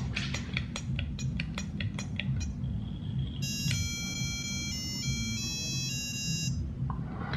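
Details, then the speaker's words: USBaux wooden box mod (regulated VV/VW, 2600mAh battery): six button clicks and hold, then bright beeps confirming the mode change from wattage to voltage. "in order to change from watts to volts it's six clicks and hold"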